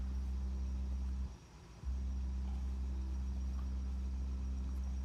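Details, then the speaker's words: Jeep Wagoneer S electric, front door speaker playing a 65 Hz test tone after repair: steady deep hum plays cleanly, door panel rattle gone even when pressing the grill. "And back over here at our door panel, nothing. That crazy rattle's gone. I mean, obviously there is some hum from the tone, but I'm able to press on the grill"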